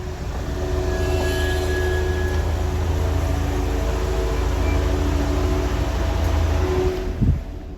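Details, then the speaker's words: Ford Bronco Sport after one year of ownership, reversing: over a heavy low rumble a thin steady squeal holds, then swoops upward near the end; the rear brake squeal when backing up. "the rear brake squeal issue is something that a lot of bronco sport owners are familiar with and it's when you back up the rear brakes just make this terrible noise it's very embarrassing"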